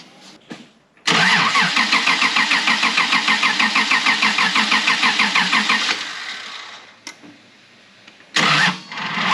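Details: 1995 Honda Passport (Isuzu Rodeo), losing power and hard to start: steady starter cranking about three turns a second for five seconds, engine never catches; zero fuel pressure and no fuel at the regulator, so it won't fire.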